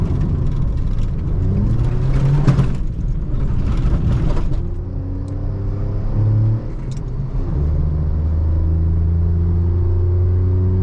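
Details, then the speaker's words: Seat Ibiza three-cylinder on road after both wheel bearings replaced, sport air filter fitted: pulls cleanly through the revs, no hum or growl rising with road speed; bearing noise gone, both old bearings were dead. "plus de bruit les deux roulements étaient morts bon on a trouvé on va PIR profiter du f sport"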